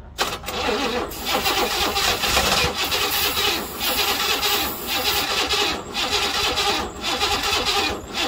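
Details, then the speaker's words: 1968 Buick Riviera parts car V8, cranking on a low battery with suspected timing issues before finding top dead center; starter churns slow and uneven with brief squeals, never catches; cranks but won't start. "The battery's getting kind of low and the engine started to slow down a bit. We're having some timing issues."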